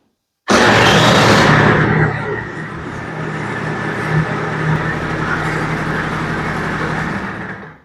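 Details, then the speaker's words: Vespa LX 50 2T two-stroke scooter, bought used, at idle: rough rapid clattering grind heard from the variator cover area; variator drive damage suspected, engine failure feared, unconfirmed. "So, did you guys hear that grinding noise too? [snorting] It sounds kind of scary, of course. I think we should take a look at where it's coming from. I can clearly hear it coming from the variator, the cover area, so somewhere back here."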